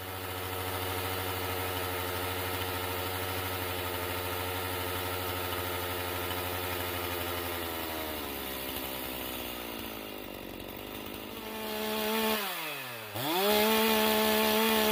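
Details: Hot Stihl MS391 chainsaw with hanging idle, before muffler mod: stays at a high steady whine after throttle release, then slowly sags to idle; tach reads 11,600 rpm at high, not hitting rev limiter; cause not confirmed.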